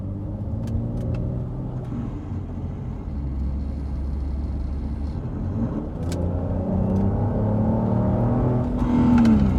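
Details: 2010 Volvo XC70 T6, 286 hp: low droning hum with rising and falling tones on acceleration and lift-off, sounding as if something is about to break off; cause unknown.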